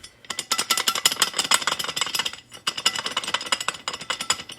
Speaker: so that's that's the noise it makes when you're driving at slow speeds at higher speeds never notice it